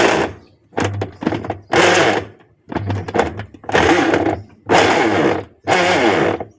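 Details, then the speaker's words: Sharp ES-818X 8.0 kg washing machine: agitator runs in loud grinding bursts about every second, harsher when drum is held by hand to simulate load; worn gearbox. "Ada load bila dia berat dia bunyi macam tu. So apa masalah dia? Okey kalau mesin kau orang bunyi macam ni confirm masalah tu berpunca daripada dia punya gearbox ni."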